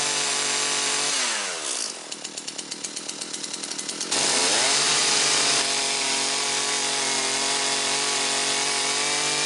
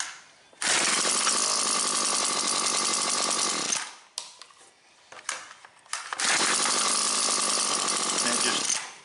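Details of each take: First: Husqvarna 325P4 pole saw, two-stroke, retested after repairing the ignition fault behind its severe miss and intermittent no-start (taped and sleeved): a few pull-start chuffs, catches, revs cleanly and runs smooth and even with no misses. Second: Husqvarna 325P4 non-telescoping pole pruner, two-stroke: cranks fine for a couple pulls, then short ragged stumbling bursts that cut out; severe intermittent ignition miss, first suspected fouled plug.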